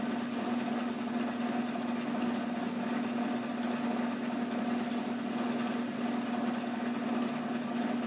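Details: 1996 Nissan Maxima 5-speed: steady starter drone, even churn for eight seconds, never fires; bent flywheel and reluctor ring causing slight runout and no start, occasional stutter; fixed by replacing flywheel.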